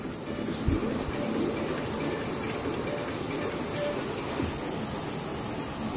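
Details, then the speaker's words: Homemade micro gasifier (water gas generator) overheating: steady hiss of escaping steam as soldered joint on superheater/preheater broke from heat, steam over 400°. "uh-oh I just got so hot that my solder joint broke there so that means that my steam's over 400° off this superheater preheater"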